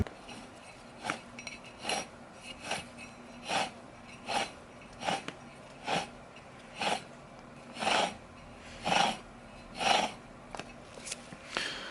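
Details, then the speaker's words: Mazda CX-5 (2012–2015) rear differential removed from the car, input spun by hand: gritty rasping grind about once a second, badly noisy unit being replaced. "As you can hear, it has pretty bad noise."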